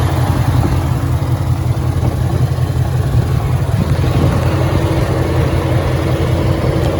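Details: 2013 Ford Mustang GT 5.0 Coyote, manual, 81,500 miles, idling: loud low rumble with an uneven deep knock, two to three per second; owner suspects rod knock or crankshaft, new for 2-3 months, worse after driving, stalls after long drives.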